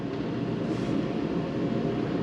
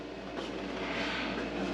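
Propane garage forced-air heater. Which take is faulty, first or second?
second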